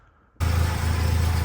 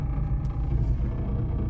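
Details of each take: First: BMW E30 Touring with an M44B19 swap, after sealing the gasketless exhaust joint with Bardahl exhaust paste: the engine starts and settles into a steady deep idle with no puffing at the joint; the leak is gone and the car is very quiet. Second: BMW E30 Touring with an M44B19 swap on an ethanol map, cold start at 20°C: deep, steady idle with an audible buzzing vibration through the body that stops once driving a bit; the cause is not yet identified.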